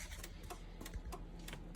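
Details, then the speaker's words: 1995 Chevrolet Impala SS with new LED headlights and side markers. The LEDs lacked the load to make the stock flasher flash, so the hazard flasher was swapped into the turn-signal slot. Crisp, fairly regular relay clicks a few tenths of a second apart; both sides flash properly. "And you can see both sides are flashing. That's actually a pretty decent flash pattern."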